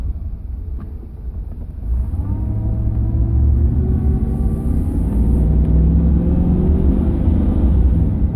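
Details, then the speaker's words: 2005 Chevrolet Silverado 2500HD driven slowly over rough spots after replacing the steering column bearing (earlier intermediate shaft swap didn't fix it): road rumble with no rattles or clunks from the steering column; rattle fixed. "All right. So, here's a spot where it would normally rattle. Listen. No rattle. It's beautiful. It's beautiful."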